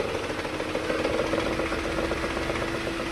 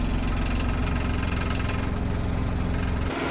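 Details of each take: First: Maruti Alto engine idling around 1000–1200 rpm with AC on: uneven, shaking idle with a lumpy pulse about four a second that disappears when the AC compressor stops; misfire traced to a faulty ignition coil leaking current to body. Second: Maruti Alto that misfired and vibrated with the AC on, with rpm fluctuating around 1000–1200: after the fix the small petrol engine idles evenly at a steady 800–900 rpm with no hunting, misfire or vibration.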